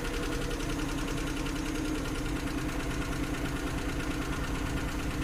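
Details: Suzuki F6 carburetor engine with hard starting: uneven, lumpy idle with irregular thuds about three per second over the engine hum, misfiring at idle; cause suspected, not confirmed.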